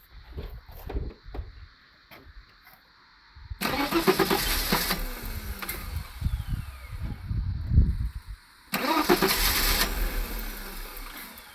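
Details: Mercedes W126 300SE, M103 inline-six, Voltarent conversion: fuel rail pressurized, then the ECU is prompted to start. Two cranking bursts catch a few uneven firings that die away; the engine cranks but won't start.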